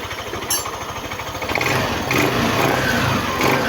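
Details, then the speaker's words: Yamaha NMAX version 1 scooter after troubleshooting a no-start and a push-button fault: it starts, then picks up cleanly and holds a smooth, even rev with no stumbles, popping or misfire; throttle response good. "Okay naman responsive hindi si hag Wang palya responsive yung ating engine so far so good"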